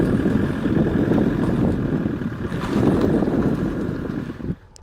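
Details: Alfa Romeo 147 JTDm: a low, uneven rattle when slowly releasing the clutch with throttle, on lifting off the throttle, and when accelerating at low speed. Something loose under load change.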